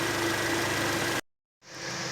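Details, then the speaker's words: Citroën DS5 with C4 turbo engine after repair: even steady idle, no belt squeal or air-leak hiss; fixed by cleaning/decarbonizing. "E aí perfeito Correia perfeita parou de fazer barulho o barulho de ar vasando fizemos uma limpeza no motor"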